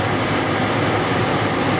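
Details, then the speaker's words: Trane XE80 furnace: steady, even blower airflow rush with no burner roar, so the blower runs but there is no heat. Owner suspects the gas switch or a bad control board; not confirmed. "but first we are going to turn this on and see what happens. So you can hear the blower's running."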